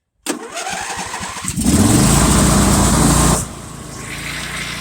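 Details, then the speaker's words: John Deere LA150 mower, just fitted with a gear drive transmission, started in cold December weather with the throttle needing repair: it cranks and catches, then runs loud and uneven before settling to a lumpy idle; owner thinks it needs a good engine. "it don't run that great either. Probably need a good engine."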